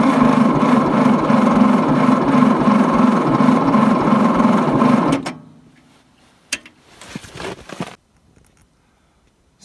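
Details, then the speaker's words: John Deere 1010 crawler dozer diesel after starter jumper wire replaced: about five seconds of steady cranking, never fires; injector heads dry, fuel not reaching them from injector pump, owner suspects ice in fuel pump; lines to be blown out. "no fuel. Injector heads are dry. I've got a problem between the injector pump and the injector head, so I'm gonna have to take off all of these fuel lines, blow them out, and see if I can get it cleaned up."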